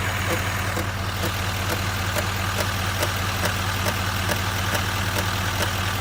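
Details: 2019 Chevrolet Silverado 2500 HD L5P diesel at idle: sharp, regular ticks about two and a half per second from the front of the engine, loud clicking/tapping; cause unknown.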